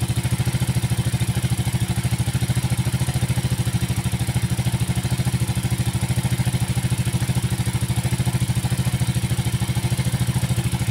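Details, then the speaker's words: Yamaha Force F1 two-stroke, hard starting, weak power, smooth when cold but rough when warm: clattery knock at idle and on revving; worn loose piston suspected, with valve clearance and leaking valves also to be checked. "Nah itu Kedengaran ketika sudah agak panas sedikit kemudian kita gas naikkan rpm-nya terdengar sekali bunyi kemelatak kataklatakatakatak Sepertinya sih di bagian sehar"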